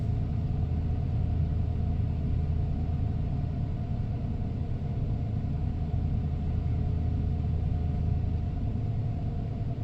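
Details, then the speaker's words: 1994 Ford F-150 XLT, 302 V8 automatic, 81,000 miles, cold start: smooth, steady deep rumble at raised cold fast idle with no knocks, ticks or stumbles before idling down; healthy, wonderful running truck. "There she idles down. That was really, that's the process I really like to take these F-Series pickups through, is just so that folks can hear that idle down process. This is a wonderful running truck."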